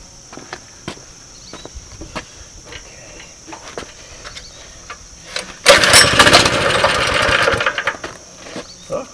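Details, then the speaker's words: 2005 Baja Warrior mini bike, flea-market parts bike, started on old ether; missing air filter: after light clicking the small engine catches and runs at a fast, steady patter for a couple of seconds; it starts and runs normally. "this thing feels like it's gonna want to run away and just as soon not crashing into anything importantly so it starts it runs it moves"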